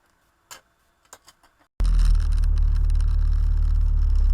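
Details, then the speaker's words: 1996 Jeep Cherokee XJ, 262,000 miles, after replacing the chattering original clutch: a few light clicks, then engine catches and settles into a smooth, steady low rumble with no knocking; smooth shifting in all gears, sounds healthy. "right let's give this a try nice smooth shifting everywhere forward gears reverse"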